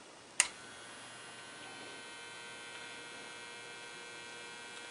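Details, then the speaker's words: 1947 Chevrolet car radio on a bench supply under repair: a click at switch-on, then a faint, steady high buzzing hum in a quiet room from the vibrator power supply, which is running normally. "Now if you hear that little hum in the background, that's the actual vibrator."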